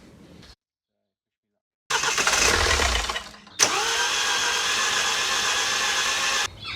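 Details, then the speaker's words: 2013 Mini D, N47 diesel, after timing chain work and engine refit: an even, fast starter whirr with no firing pulses or compression rhythm, then a brief catch and cut-out. It sounds like it has no compression, cause unknown. "is it sounds like it's got no compression which is not good"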